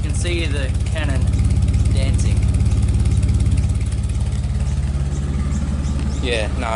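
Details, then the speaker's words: Nissan R34 Skyline, runs badly before a maintenance service ahead of storage, on jack stands: uneven, loping idle with deep pulsing exhaust beat rising and sagging; engine idles lumpy and rough. "listen to how lumpy this thing is"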